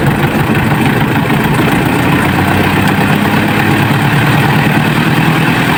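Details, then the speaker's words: Washing machine spin dryer that had a thumping "gleduk" noise, typically from a loose shaft bolt under the machine or a broken motor-mount spring. After the fix it spins with a constant, even, very fast, smooth hum and no thumping. Repair successful. "Oke dan ini berasil ya coba kalau bunyinya seperti ini ya halus halus dan putarannya itu kencang sekali ini sudah berhasilah"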